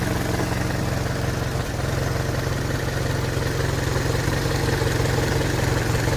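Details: Hotchkiss M201 at idle: steady low idle with a rhythmic pulsing about four beats a second over a deep drone; owner asks whether it is normal, cause not clear.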